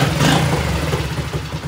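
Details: Honda 66 with a 90cc engine and a lá me exhaust: revs up cleanly and settles evenly with no misses or clatter; a healthy engine.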